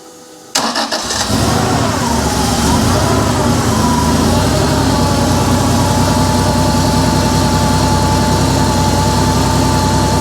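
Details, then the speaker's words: Porsche 911 3.2 Carrera flat-six on an engine stand, first test run after complete rebuild, cold start on a hot day: starter whirs briefly, engine catches at once, steady even idle, no smoke, running slightly rich; normal cold start. "It didn't blow any smoke. It is running a little bit rich, but it is on cold start."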